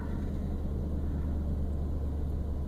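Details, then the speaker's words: 1999 Toyota Land Cruiser 100 series, rusted OEM muffler, before replacement, recorded in cabin with doors closed at idle: loud heavy resonant drone from the failed muffler. "Okay, this will serve as the before audio and video, so you can hear what a really bad muffler sounds like on a 100 series Land Cruiser."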